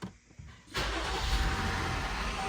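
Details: Jeep Grand Cherokee after maintenance including coolant work, first start with coolant filler hopper fitted: brief crank, catches quickly and settles into smooth steady idle with no stumble or knock; penetrating oil likely burning off exhaust manifold.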